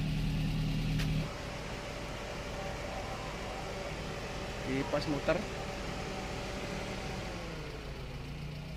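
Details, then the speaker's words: Daihatsu Gran Max 1.3 after engine overhaul for lost compression (hard starting; cylinders 2 and 3 losing compression): steady, even idle with no knocks or misses and a faint fan whir; fan cycles at normal temperature. "Kipas muter mati, normal temperatur."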